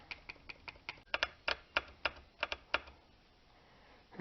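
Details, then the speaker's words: 2002 Lexus RX300 3.0 VVT oil control valve tested on the bench after cooling below about 160°: crisp, sharp clicks about four a second as it actuates normally. When hot it clicked without moving the pin, causing P1349 and bank 1 misfires. "it's talking to me I hear it clicking inside the Sol ano but it just ain't actuating a pin when it's hot"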